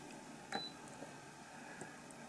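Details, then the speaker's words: Spot welder attaching 0.15 mm nickel strip tab to an 18650 Li-ion pack (Molicel P28A): brief high beep as probes find continuity, then one sharp snap of the set pulse, well connected; normal spot welder beep and weld pulse. "a continuity to and then it puts out the pulse that you set"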